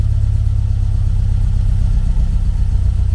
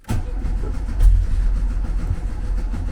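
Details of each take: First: 1974 VW Beetle 1915cc air-cooled engine on MaxxECU EFI during fuel-table tuning: steady, even low thrum with a firm regular beat, no misses; smooth running with lambda around one. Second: 1974 VW Beetle, 1915cc, converted to MaxxECU EFI, first tuning start attempt without touching the accelerator. Low starter churn that never catches; cranks but won't fire, traced to a wrong injection setting without a cam sensor.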